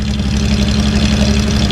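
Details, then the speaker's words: Datsun 280Z barn find, off road 18 years, after new injectors, warming up: steady, even low idle with smooth firing beat, no misses, knocks or smoke; revs freely, running cleanly. "Oh, it's so much happier to rev. I know, it's running good now."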